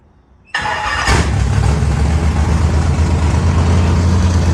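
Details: Factory stock race car engine with the transmission out, floating on its front motor mounts, after fitting the right flywheel, which reduced vibration: quick crank, then a steady, even idle with no knocks or rattles. It sounds healthy.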